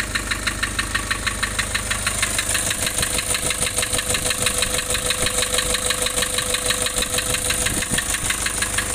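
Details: Nissan Urvan Estate E25 with ZD30 diesel, white smoke: idles with a lumpy, uneven beat about three pulses a second and a noticeable loping miss, rough idle from loss of compression.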